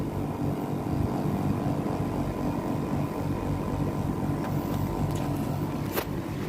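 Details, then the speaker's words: Daikin R410A air conditioner outdoor unit after a capacitor replacement: steady fan whoosh over a smooth compressor hum with no knocks. The compressor is running normally and cooling. "nah ini dia teman-teman, AC sudah menyala kembali dan kompresor sudah berjalan normal."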